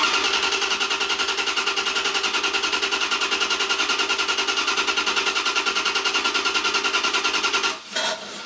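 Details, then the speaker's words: 1994 Corvette LT1 with replacement Optispark distributor, temporarily wired: starter cranks evenly about two and a half beats per second for eight seconds, never firing; crank no-start, still setting code 16 (low resolution). "still having trouble optispark still coding out Cod uh 16"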